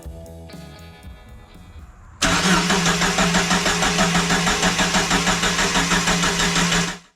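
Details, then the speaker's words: Jeep YJ after ECU repair (old capacitors replaced), test-fitted on fender with check engine light on. Steady cranking about three beats a second for five seconds, never catching; no spark because the ignition coil was left unplugged. "Oh no. But then I remembered that, like a dummy, I unplugged the coil while troubleshooting earlier."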